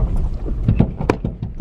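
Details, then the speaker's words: Nissan S15 Spec-S with the engine running: irregular hollow knocks and rattles from the rear end, which began after back-road drifting. Owner suspects a loose battery tray or possibly a coilover top hat; source unconfirmed. "my rear end started making a really weird noise I think it's my battery tray got loose"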